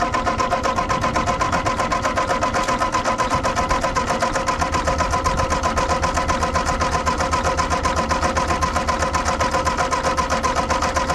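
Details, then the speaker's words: Ford 8N tractor after carburetor mixture screws were reset to one and one-and-a-half turns out, cranked on a jumper pack: turns over at an even four beats a second but never catches, only a single pop; owner suspects lost spark while cranking. "still not getting anything leaking a little bit out of that line got a little pop out of it not sure why it's not going now try adjusting this"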